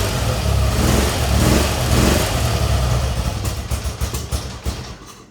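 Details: BMW R65 Airhead, hard to start, needs chokes and lots of throttle: lumpy uneven low idle with sharp pops back through the left intake, where light is visible; owner suspects a very lean mixture.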